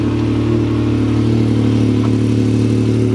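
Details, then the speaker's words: Salvage side-by-side at a Copart yard, in neutral; unclear why it's there, maybe rolled: strong steady note holding even revs, no knocks, rattles or misses; "sounds damn good", normal revving. "wonder what it's doing here they had to roll it or do something sounds good sounds damn good"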